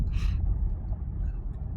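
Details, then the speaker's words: Chevy Cruze/Trax/Sonic/Encore after replacing the driver's-side front hub bearing: test drive at speeds up to 40, with only even road rumble and no roar or grind. The old bearing had roared from about 15, louder up to 70. Normal wheel bearing. "I hear no roaring noises or grinding noises. This is about the speed it would start making a noise. Let's try to get up to 40. Nothing. No noise whatsoever. Now it's running like it's supposed to."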